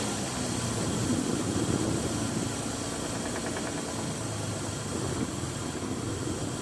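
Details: Toyota Land Cruiser 1FZ-FE petrol straight-six at idle: faint, fairly regular knock about three times a second under the running noise; internal knock, checking oil pump and crank and cam bearings suggested, cause unconfirmed.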